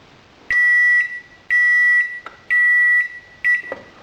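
Three even half-second high beeps about one a second, then a short chirp; the timer controller is counting down and ending normally.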